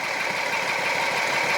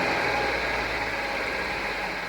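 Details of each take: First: 2007 Jeep Wrangler Rubicon Unlimited, 3.8 V6, code P0302, barely any spark at cylinder 2 coil: lumpy, uneven idle with one cylinder dropping out under steady clatter; misfire from bad coil pack, fixed by replacing the coil. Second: 2007 Jeep Wrangler Rubicon Unlimited 3.8 V6 after replacing cylinder 2 coil pack for P0302 misfire: even, steady idle with no stumble or skipped pulses; misfire gone, fuel trim still high.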